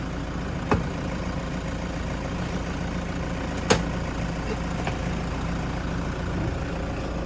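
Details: 2019 Thai used passenger van (diesel), started for an engine-bay listen with the engine not yet cleaned: steady low diesel clatter at an even idle, only a couple of brief handling clicks; normal, healthy idle.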